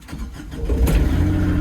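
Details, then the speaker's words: Develon diesel machine started just after a service, run to check for leaks. It cranks briefly, fires straight into life and settles to a steady, low, even idle, a healthy start. "Right then, service complete. Fire it up, make sure no leaks. Should kill straight into life,"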